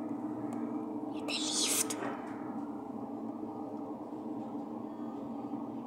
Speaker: Недавно мы вот открыли дверь Вот ну как войти в подъезд и там лифта Просто на первом этаже и гудят